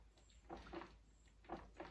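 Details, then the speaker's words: 1992 Yamaha WR500Z dirt bike, rear suspension worked: soft hollow clunks in pairs about a second apart from worn top shock bearing and linkage bearings, all needing replacement. "you hear that noise? I had a look at it, and basically it's the top shock bearing has gone, and also the linkage bearings have gone, so all of them need to be replaced."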